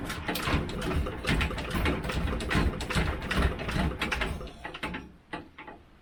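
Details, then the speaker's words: Petter AC1 diesel Kango generator, probably late 1970s, unrun for years, near freezing, hand-cranked, decompression lever feels wrong: slow uneven chuffing about two strokes a second, never catching; cranking without starting. "This is the decompression lever, which doesn't feel right, to be honest. There's something moving, but doesn't feel like they normally do. Right, time to get cranking."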